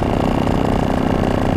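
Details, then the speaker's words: BlackHawk Titan 210 paramotor two-stroke, in flight after break-in, about 8,200 rpm max, throttled down toward idle: fast even buzz, steady firing, no misses, knocks or rattles; very smooth normal running. "The greatest thing is this motor is really, really smooth. Not sure if you can hear that, but I can drop down to an idle"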